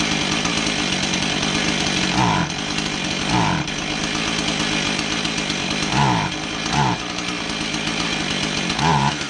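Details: Husqvarna 445 chainsaw with a bogging complaint, test run after new carb gaskets, low-speed jet at two and a quarter turns; revs up but repeatedly sags and stumbles, suspected plugged low-speed carb circuit.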